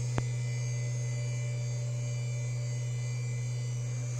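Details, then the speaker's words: Yamaha A5000 sampler with original internal IDE hard drive: constant low hum with faint whine on top; incredibly loud internal drive and cooling fan, to be replaced with compact flash. "replace the internal drive because it is incredibly loud and i used to have a yamaha a4 000 so remember how loud those things were"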